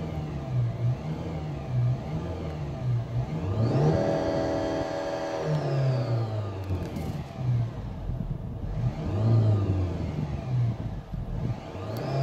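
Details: Land Rover Discovery Sport Ingenium diesel, revved up and down: a whirring metallic note that rises and falls with engine speed; balance shaft fault, with scored, blued needle bearings suspected as the cause.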